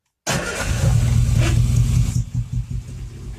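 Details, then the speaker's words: Cold Ozzy 74 engine on half choke after timing chain cover seal and gasket replacement runs lumpy and uneven with irregular puffing pops; misfire with backfiring, owner suspects ignition despite new coils, leads, plugs and electronic ignition module. "so I think it's a it's a firing problem it seems to be it seems to be backfiring a bit I'm sure there's some sort of ignition problem"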